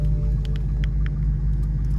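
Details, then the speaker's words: 2012 BMW 750Li no-start with blinking shifter light, battery at 11 volts: low, labored, dragging cranking with no catch; slow cranking from a weak battery. "your battery your battery also is no good this battery here you still have 11 volt that's very weak"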